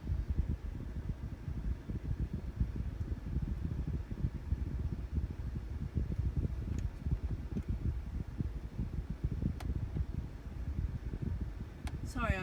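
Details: 2014 VW Passat: rapid, steady low thumping from the speakers right after startup; might be mitigated by Tech Service Bulletin TSB 2031434; cause unconfirmed.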